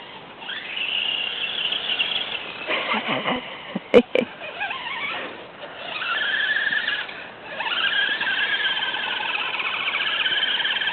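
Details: FTX Kanyon RC crawler after the 60T motor was swapped for a 35T with a smaller pinion, correct gear mesh and fresh grease. A high, wavering squeal occurs at low revs, and the cause is unknown.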